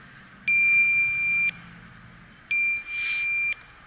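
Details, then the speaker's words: York rooftop unit, evaporator coil pressurized with nitrogen: two steady high beeps about a second each, two seconds apart, as the leak detector alarms; hissing leak in the coil that soap bubbles couldn't find. "So I hear it hissing. I don't know if you guys can hear. It's hissing somewhere in that coil."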